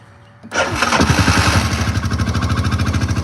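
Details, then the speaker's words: $900 ATV just revived with fresh gas, restarted with a little more choke: cranks briefly, then catches at once and settles into a steady, even, quick putter with no misses; a healthy easy start. "Man, that starts up nice. Holy crap. That's so crazy."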